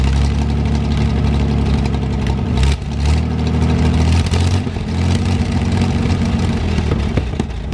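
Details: 1973 GMC 432 cu in V6, first run after about 5 years sitting: deep steady idle with light rev blips that rise and settle cleanly, no knocks or misses; judged a nice engine; normal idle with light revving.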